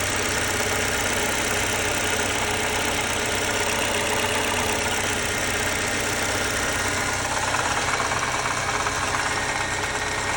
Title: 2018 Lexus IS 300 bad water pump sound